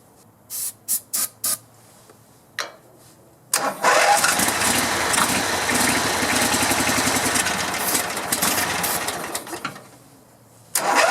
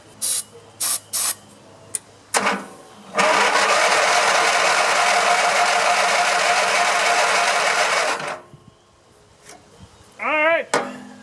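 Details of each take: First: Grasshopper zero-turn mower, 16hp Vanguard V-twin, after no-spark ignition repair and carburetor and fuel tank cleaning; a few taps then catches, smooth even run, fogging oil burning off; normal running. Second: Grasshopper zero-turn mower with a 16 hp Vanguard V-twin, long unused, seat switch disconnected, starter jumped with cables: cranks steadily for about five seconds while fueled but never fires; no spark found.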